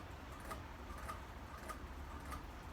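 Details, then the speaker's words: Hampton Bay Grayton ceiling fan from 1996, running fast with light on and blades oak side down: soft evenly spaced ticks about every 0.6 s over a low fan hum. Something inside is knocking, source never found. "Something's probably just hitting something that I've never gotten to the bottom of."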